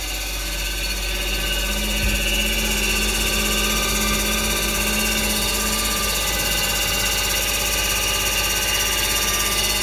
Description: I dont know whats wrong with my washing machine.its work well but make a noisy sound.